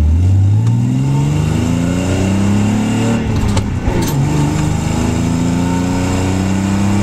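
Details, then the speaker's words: Z six-cylinder at low idle around 800 rpm, power balance test passed, with an exhaust leak at the header-to-catalytic pipe: idle speed wanders with an uneven, lumpy misfire beat; owner suspects a faulty injector, not confirmed. "It's just the idle is a little erratic, and it's accelerating's no problem, driving's no problem. It's just misfiring."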